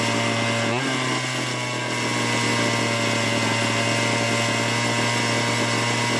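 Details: Small two-stroke chainsaw, long idle and non-starting, revived after fixing the carburetor bracket holder: steady high buzzing note holding even speed without stumbling or cutting out; runs properly.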